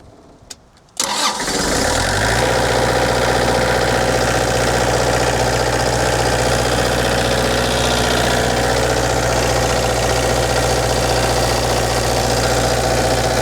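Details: Country Coach Prevost conversion diesel generator, fuel primed and preheated before cranking: after a short crank it catches at once and settles into a steady, even drone with no misses or knocks; normal start and idle.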